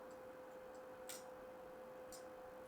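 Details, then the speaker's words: PlayStation 2 before a further laser lens clean: thin steady whine of the spinning disc with a sharp click about once a second as the laser keeps seeking; drive struggling to read the disc. "So, let's now power on. spinning up just as before. Yeah, not reading."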